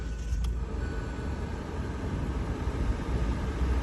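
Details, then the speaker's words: 2017 Hyundai Elantra auction car with crankshaft position sensor B code, hard to start on first crank: low, uneven idle rumble wavering in loudness as if about to stall; sensor replacement planned, fix unconfirmed. Rough idle from faulty crankshaft position sensor. "it's not idling correctly it's like struggling to stay started which isn't a big deal that Parts roughly about $40 it's very easy to replace"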